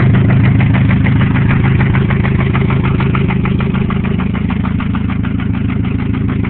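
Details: 1997 Grand Am SE 2.4L running with header only, after 30 minutes of freeway driving in 95°F+ heat and flooring it: a fast, even top-end tick at idle. The oil light comes on below 1000 rpm; the owner suspects a spun bearing.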